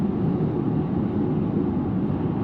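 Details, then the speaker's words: Electric camper car with homemade roof rack driving at 100 km/h on motorway: steady airy roar with low hum around 200 Hz underneath and whistling from wind swirling off the roof rack tubes. "Well, now we're going from 100 to 100, and yes, from there. Now there's quite a bit of whistling."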